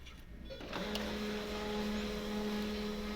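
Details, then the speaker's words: HP M1005 printer after repair of noise problem: paper picker roller was jammed by a foreign cap caught in the tray and a gear reset; now a steady smooth whir with no grinding or clicking, noise completely gone, normal operation. "देखिए इसकी आवाज़ बिल्कुल बंद हो गई है।"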